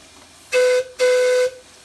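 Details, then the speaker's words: Allen Mogul live-steam locomotive after silver-soldered piping repairs, steam test at about 40 psi (60 psi earlier), Johnson bar halfway forward, throttle cracked: two short, clean, steady mid-pitched whistle blasts with no sputter; normal steam whistle. "that sounds pretty good down at down about 40 psi pretty excited about that"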